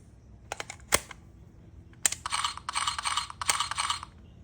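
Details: Mercedes W211 electronic ignition switch (EIS) tested on the bench with an emulator: sharp clicks, then repeated buzzy chirps as it locks and unlocks multiple times on key insertion. It is faulty, causing intermittent starting, and was replaced with a clone.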